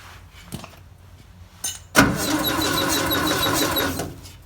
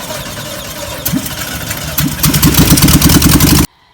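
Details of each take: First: 1958 VW pressed-bumper panel bus sitting 50 years, starter just replaced: cranks at a steady rhythm for two seconds with no firing; no spark, points not closing fully and needing cleaning. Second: 1958 VW panel bus with flat-four, sitting 50 years, after starter replaced and points cleaned: cranks, coughs a few times, then catches into a quick uneven beat of about three firings a second; engine starts and runs.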